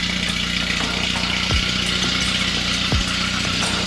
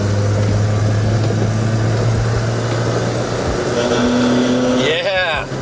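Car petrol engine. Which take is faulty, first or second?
second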